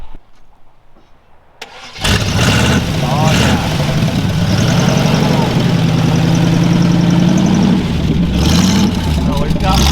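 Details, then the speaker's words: 1974 Chevy Nova on glass-pack exhaust, first start: cranks, catches, then a loud raw burbling idle with a rasp. Missing muffler and a leaking pipe joint. "all right we've got some sounds like a turd not good we'll fix it we will fix it"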